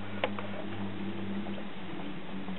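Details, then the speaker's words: 1993 Panasonic SL-PH2 AM/FM radio/CD player: faint irregular ticking over a low electrical hum as the laser pickup searches for focus while the disc tries but fails to spin up; owner suspects a bad spindle motor. "hear the laser doing its thing but the disc is not spinning so could very well have a bad spindle motor"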